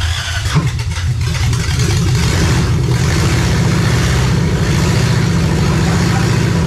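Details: Lexus 1UZFE V8 first start after 6 years standing, ATF in cylinders, wiring done and fuel pump connected: brief crank, quick catch, a couple of revs, then a steady even idle; healthy.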